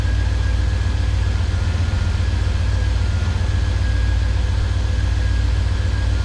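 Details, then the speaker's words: 1985 Camaro IROC idling after replacing a faulty remanufactured alternator with a bad bearing that whined: steady even low rumble, no whine, chirp or bearing growl, now charging 14.27 V; normal idle. "so already that's a lot quieter i can just tell that the worrying noise is gone"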